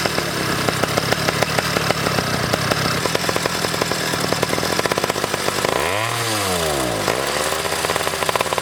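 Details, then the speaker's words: Motorcycle being blipped up and down repeatedly after adjustment: near the top of each rev it breaks up and stutters instead of pulling clean; sputter at high rpm still present. "I got it somewhat good but you guys could probably still hear the sputtering up on the top end"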